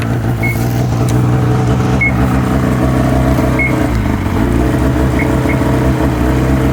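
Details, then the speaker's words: 2005 Ski-Doo MX-Z Renegade 600 H.O. SDI after overnight cold soak, with a new fuel pump, pressure regulator and strainer fixing hard starting: steady, even two-stroke cold-start fast idle with elevated rpm, no misses or knocks. "should expect to see the RPMs up higher like this something else a lot of the guys are complaining about RPMs aren't up at warm-up temperature go right to the low idle speed"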